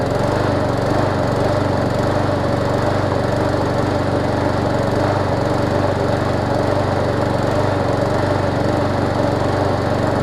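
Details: Push mower small engine, steady run with a slightly uneven, hunting beat and thin exhaust note, suggesting it is running lean; owner suspects a swollen needle and seat or a restricted fuel line; a carburetor swap is the fix if needed.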